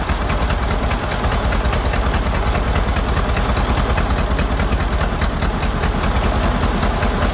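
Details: Ford Model AA doodlebug four-cylinder after a carburetor swap: lumpy, uneven idle stumbling about twice a second; shorting the plugs points to cylinders 3 and 4 not firing properly, and a stuck-open valve is suspected.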